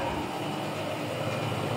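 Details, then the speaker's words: Air conditioner outdoor condenser unit, after fixing its failure to shut off when the AC was turned off, switched on by remote: a steady even compressor hum with fan whoosh and no knocks or rattles. Running normally. "se puede escuchar y aquí se puede escuchar el sonido del compresor"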